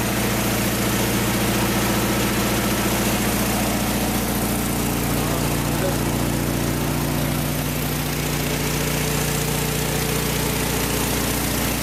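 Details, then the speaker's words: VW flat-four from a 1956 Beetle barn find, first run after 24 years stored unrun, mouse nest debris blowing out; steady evenly paced idle with crisp exhaust beat, no knocks or rattles: normal healthy idle. "yeah so there you have it can't believe it fired right up after 24 years of sitting in a barn these Volkswagen engines are just bulletproof"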